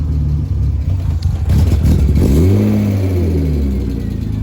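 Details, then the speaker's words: BMW E36 engine revs, then pitch sags and wanders without settling; won't hold idle. Owner points to a boot with a slit in it, replacement on order; air leak suspected, not confirmed. "There's a slit in it. I did buy one yesterday on eBay, so we gotta wait a couple of days for that. But it doesn't hold idle."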